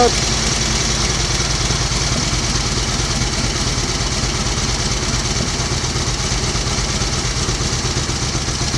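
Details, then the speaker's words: 1938 Matchless 990 cc Model X V-twin, first run after several years laid up, with gearbox and primary drive rebuilt: steady, even idle beat with no knocks or clatter; oil returning to tank, healthy. "yes it will well that is running absolutely beautifully isn't it no Raffles no clatters"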